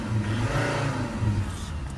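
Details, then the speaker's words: Volvo XC90 2.4 D5 diesel after fixing a knocking noise traced to the front, not the rear subframe: clean, even revs rising and falling smoothly with no knocks or clunks, only 1–2 mm engine movement at idle. "so yeah it feels like a new car we have sort of one or two millimeters there at idle and when you rev it up and down she's moving nicely"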